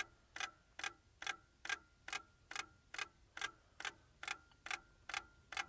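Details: Lada Priora, cold, ignition on and engine stopped: sharp, even ticks about two per second; the car also starts poorly, and the source is unknown.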